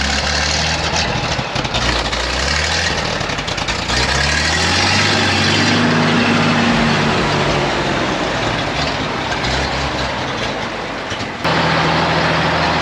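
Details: 1956 GMC 630 fire truck, 503 straight-six, rescued off a farm, idling after a successful start: deep, even six-cylinder rumble with a slight drift in speed, running cleanly. Soon afterward the idle unexpectedly starts racing.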